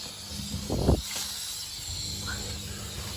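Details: Faint steady high hiss of water escaping under pressure, heard behind the wall after the toilet was pulled, with a few handling knocks. A nail in the base moulding had punctured the 1/2" copper supply line in the 2nd-floor bathroom.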